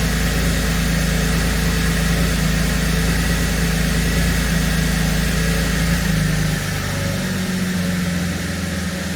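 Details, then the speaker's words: 2017 Holden Commodore SV6 with LFX V6 idling smoothly with a steady rumble and no stumbles, after the rough first start following an oil and filter change and six new aftermarket iridium spark plugs. "But it's nice and smooth now."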